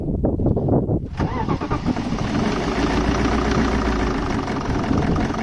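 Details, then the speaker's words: 2007 BMW E65 745d 4.4 V8 diesel, common rail, EDC16C31 ECU, in limp mode with EGR faults: at start and idle a rattly, clattering heavy diesel knock; injectors suspected, not confirmed. "immediately as you can hear the sound is clocking knocking we talked that probably some of the injectors can be gone but we're not sure about that"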